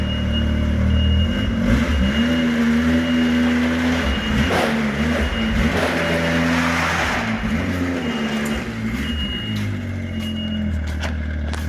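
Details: Used turbo Sidewinder snowmobile after fixing wrongly reconnected stock boost parts, ECU flashed, in snow, boosting 16 psi: strong steady roar, pitch swinging up and down with throttle, pulls cleanly; normal acceleration.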